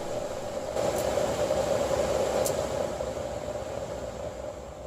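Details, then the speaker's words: 2008–2016 Toyota Highlander heater/AC blower fan at high speed, tested out of housing after cleaning debris that caused dash vibration: strong steady airflow, even hum, no wobble or rattle. "we'll test it while it's not in place and look how powerful this thing is at high speeds it pulls leaves from all the way across the passenger floor"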